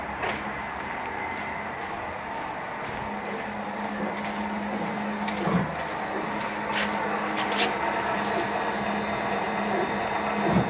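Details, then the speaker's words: 2017 Keystone Cougar 337FLS fifth wheel auto-level, rear stabilizing jacks lowering: steady low pump hum with clicks and clunks as the unit jumps around leveling itself. The system is running normally. "bring both those down once both those down and our unit jumps around a couple times and does its little leveling thing"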